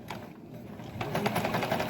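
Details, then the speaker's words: Euro-Pro EP-382 sewing machine after cleaning, oiling, gear greasing and tension adjustment, sewing forward: quick, even stitch chatter with soft hum, no grinding or knocking. Runs healthily. "Okay, and it goes forward again. And it sounds really good."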